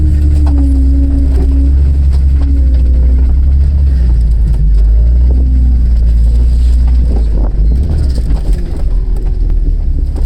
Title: 4.No Piston Slap and Fan Obstruction